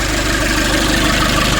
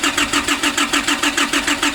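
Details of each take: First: 2005 Nissan Urvan diesel, after replacing faulty pressure bolt and high-pressure/fuel pipes on diesel pump: smooth, regular idle with consistent rhythm, no stumbling, no leak; running healthy. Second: 2005 Nissan Urvan diesel, cold, sat for years, diesel pump pipes and bolt replaced, fuel filter primer being hand-pumped: steady starter cranking, brief pause, more cranking without catching; fuel not yet reaching injection pump.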